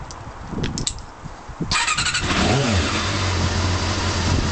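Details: Honda CB-1 motorcycle engine started after standing cold for a few hours settles into a slightly lumpy idle with light tappet-like ticking about four times per second; uneven running, cause unknown; it cut out with a touch of throttle.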